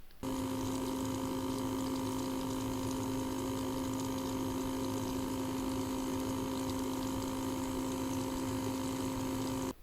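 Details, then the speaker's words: Water cooler tested under 3D load: steady constant-pitch hum with faint rushing, an unusually loud, very unpleasant pump whine; the unit may be defective. "alors je sais pas si c'est un modèle que j'ai eu buggé mais regardez au niveau du bruit la pompe c'est vraiment hyper hyper désagréable"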